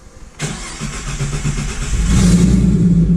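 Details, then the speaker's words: 2015 Mustang V6 first start after a twin-turbo install, untuned and still on its old ProCharger tune, fuel pump audible before start: brief crank, then it catches cleanly and settles into a steady rumble with no misfire. Turbos spinning; a normal start. "Yep, sounds like Dookie. Alright. Everything's working. So, turbos are spinning."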